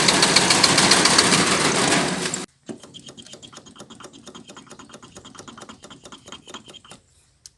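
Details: Toyota 1C diesel with hard starting, shaking and noisy engine: after a loud burst, sharp ticking knock about three and a half per second at idle; rough noisy running, cause unclear.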